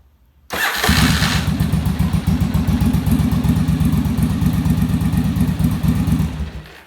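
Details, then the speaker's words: Yamaha Virago V-twin started for on-engine carb sync after bench sync, manometer attached; fires into lumpy, uneven loping idle for about six seconds then shut off as one carb's gauge pulled way down and the other way up; carbs out of sync. "yeah so you can see i had to turn it off because i'm off that one started pulling way down this one went way up"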